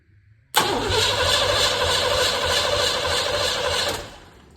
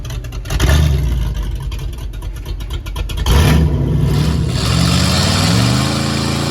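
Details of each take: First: 1958 Plymouth engine, not run in over 40 years, started by hand-jumping wires: starter cranks steadily about three seconds without firing; owner unsure if too little fuel was given or spark is missing. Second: 1958 Plymouth first run after more than 40 years on a temporary ignition switch: rough lumpy start and a few revs settle into a smooth, even low idle with a steady rumble; engine running healthy.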